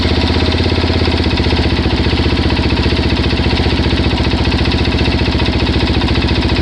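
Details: Suzuki DRZ400S single-cylinder idling after a 10-mile test ride at low throttle: a fast, steady light tick about four times a second over the exhaust beat, persisting after cam chain, both chain guides and oil replaced; cause unknown.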